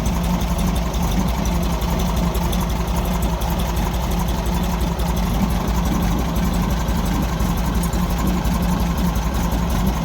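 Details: 1964 Volkswagen Beetle four-cylinder, plugs changed, fuel filter relocated, possible carburettor blockage suspected: low throbbing idle stumbling unevenly about three times a second; rough idle.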